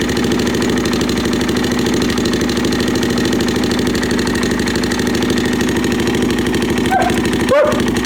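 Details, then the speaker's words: Suzuki LT-Z400 ATV with manual cam chain tensioner, aftermarket pipe, apparently missing top engine mount, idling: quick regular ticking keeping pace with the single-cylinder idle, loudest on right side near cam chain; top-end ticking, mechanic suspects cam chain slack, unconfirmed. "Definitely on this right hand side, definitely around the cam chain, but I just want to look and see how much slack we already have in the chain maybe."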